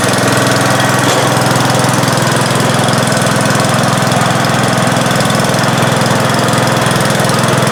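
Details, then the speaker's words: 1971 John Deere 140H3, Kohler K321 single-cylinder, just after carburetor rebuild and new float fixed fuel pouring from carb: steady, even beat at fast idle, no stumbles or knocks; normal idle. "Yep, happy sound, wasn't it? Wow. Oh man, that's really it started right up."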